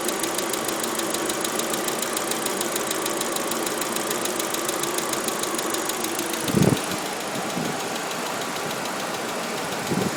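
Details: Audi A4 at idle: a fast, even ticking over a steady idle with a couple of louder thumps; a top-end tick whose source is not pinned down.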